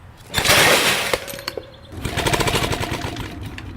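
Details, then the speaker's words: Old 1 hp Briggs & Stratton barn engine with a two-stroke bike kit carburetor fitted, tank completely empty of fuel: pull-start whirr with scattered clatters and no putts; engine turns over but cannot fire with no fuel. "So there's absolutely no fuel in here whatsoever, so there's no way this is going to have any actual run to it."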